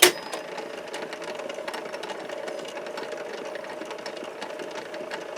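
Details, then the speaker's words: Mid-1960s Lloyd's TY-799A portable tape recorder under repair: the tape transport runs with a loud, busy mechanical clatter over a steady mid-pitched motor hum; the speaker also gives a loud hiss. "of noise mechanical noise play here"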